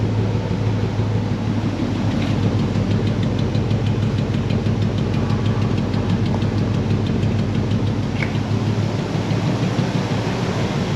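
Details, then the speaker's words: 1960 Pontiac Bonneville V8 with AFB carb, dwell a little high at about 30 degrees, no accelerator needed: low steady idle rumble with even firing, no knocks or misses; healthy, normal. "we got the uh dwell a little bit high but it was right at 30. we can play with that again later"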